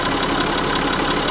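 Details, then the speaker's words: Citroen C6 diesel after a gearbox repair: a fast, even metallic rattle at idle over a steady diesel idle. The ticking is suspected to come from worn chains between the camshafts; it only slightly reduced, and replacement is recommended. "would be to replace the chains ... ... between the camshafts. Unfortunately, that noise doesn't go away. It did went a bit away ... ... just a bit, but not enough."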